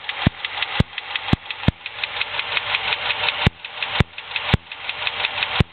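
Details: 2006 Dodge Charger SRT-8. Light, rapid ticking in time with the idle, with sharper clicks about every half second, from the top right of the engine viewed from the front. It was unchanged at any speed; traced to that lifter and fixed.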